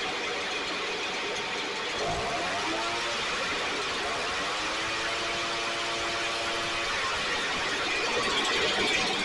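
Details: STIHL backpack blower (believed 6R450), after cleaning and repair; idle previously fluctuated and couldn't be adjusted. Two-stroke buzz rising smoothly to a high steady whine; running much better, still loading up slightly, owner suspects internal carbon buildup.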